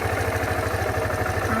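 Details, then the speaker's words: Suzuki VanVan single at 12,300 km at idle: an even thump at about fifteen beats per second with no ticks or knocks. The owner's weird sound appears only when revving and began about 4,000 km ago. "While it's idle, you don't see any weird noises."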